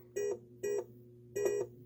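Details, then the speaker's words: Williams Funhouse pinball in switch test: moving the speaker panel bends wires enough to make switch 51, a dummy opto, register, heard as three short irregular beeps; intermittent wiring suspected in the multiple-switches-not-working issue. "look at this just moving the speaker panel is just enough to bend these wires to um make the switch register"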